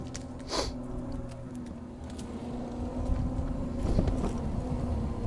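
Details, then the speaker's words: Jazzy 1450 heavy-duty power wheelchair (600 lb capacity, 25 hours of use, top speed about 4–4.5 mph) driving outdoors: steady low hum from both HD motors, geared for power not speed; even, healthy, the normal expected sound. "it has HD Motors you will hear this motor when you're driving you'll hear a humming that's what you want to hear these are HD Motors you'll hear both of them humming a little bit that's cuz they're they're gear for power they're not gear for Speed"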